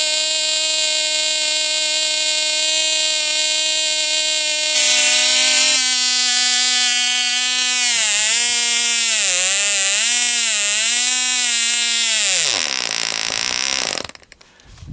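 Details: Cox Tee Dee .049 glow engine, castor-stuck and freed, on Sig Champion 25% fuel, strapped to a stepladder; after 6x3 prop peaked around 13K, a 5x3 prop lets it scream high and steady, waver, then quit; healthy run.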